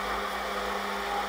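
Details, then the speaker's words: Brush-type belt-drive washing machine motor after speed encoder fix (new bearing, aluminium piece, stainless bolt holding magnet ring): smooth even hum through proper speed steps, no knocking, scraping or bearing rumble; normal motor run. "I know it's a bit dark here, but it's doing the proper speed steps."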